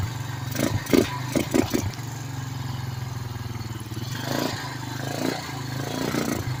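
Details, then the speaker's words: 2006 Honda Rancher after cleaning a clogged carburetor; before, it ran only on choke and died with the choke off. It now idles steadily on its single cylinder with the choke off. "There we go. choke's off. We're idling with the choke off."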